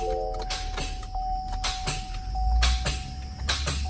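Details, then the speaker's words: 2017 Chevrolet Impala V6, 61,000 miles, driven through deep water: with a jump box connected, sharp single clicks at each key turn, no cranking, steady chime behind. No-crank click. "just to make sure it wasn't the battery i pulled the battery cover and i'm gonna hook up the jump box and see if it still clicks"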